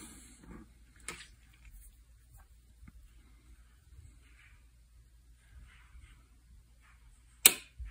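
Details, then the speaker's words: Kawasaki Ninja 300 relay box with burned wires, car relay patched in: jumpering pin 2 to pin 11 (ground) gives a single sharp click, one fainter tap earlier, in a quiet room; relay switching normally. "so when we jumper from the black is pin number two from either one of those locations we should hear the relay click"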